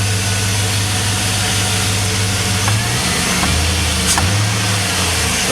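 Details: 2001 Chevrolet Silverado 5.3 Vortec V8 with stock intake, cold, before a Flowmaster Delta Force intake install: deep burble rising and falling cleanly with each throttle blip, no knocks or rattles, with normal fan belt noise; healthy engine.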